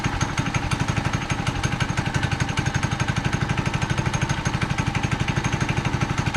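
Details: Manco Dingo go-kart bought in 2001 with a 6.5 HP Subaru Robin single-cylinder engine, just restarted after repairs including a tightened starter rope; steady, even thumping at about four beats a second with no misses or knocks, running normally.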